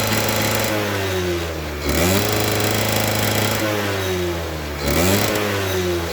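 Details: Suzuki RC100 two-stroke after cleaning the carburettor pilot and main jets; revs rise and fall in uneven surges, note wavering and breaking up instead of climbing, won't rev high and feels fuel-thirsty; stutter at high throttle, cause unconfirmed.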